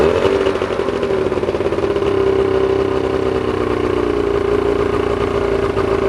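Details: Old two-cylinder Evinrude two-stroke outboard with dual carburetors, a single ignition coil and premix oil, running after sitting; a busy, even buzz at a steady pitch without misfires or rev hunting.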